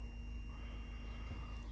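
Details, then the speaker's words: Multimeter continuity tone on a 1985 Kawasaki KE100 with electrical problems. A steady high beep at the frame bolt shows a good ground there. There is no continuity from the battery box, suspected because it is rubber-mounted. "when i get to this bolt here as you can hear the meters going off"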